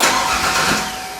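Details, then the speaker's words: 1992 Ford Ranger with a rebuilt 2.9L V6, first start after reinstall: the starter cranks steadily but the engine never fires, with no spark at a test plug; crank, no start. "let's see if we got spark just crank it no spark nothing nothing go ahead and crank it"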